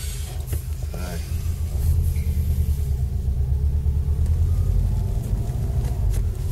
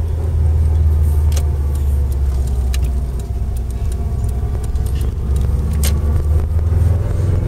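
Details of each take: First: Subaru Impreza WRX, 5-speed gearbox, driving after centre diff bearings replaced and shafts shimmed: only steady low road rumble, no whine or growl; drivetrain quiet, normal. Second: Subaru Impreza WRX, driving: worn centre differential bearings give a thin whine over low road rumble that rises with road speed, not gear; prominent in first and second at low revs and speed, very prominent in third, fourth and fifth, audible in every gear.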